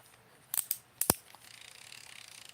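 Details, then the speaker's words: AliExpress baitcasting reel after a season's use: light, rapid, thin drag clicker ticking, heard when drag loosened; drag band type suspected mashed, clicker arms bent, owner thinks clicker itself fine and plans easy fix. "but it's still clicking I can hear it when you loosen it I don't think the clicker is goofed up"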